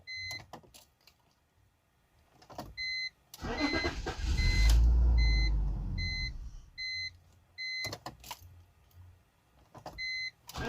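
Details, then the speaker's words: BMW 325xi crank-no-start: cranks, catches briefly with a surge, then dies within seconds while the door chime beeps; in-tank fuel pump heard priming weakly, runs only on starting fluid; weak fuel pump suspected. "trying to start it it's turning over cranking but not starting i'll let you guys hear it see it starts it cuts right back"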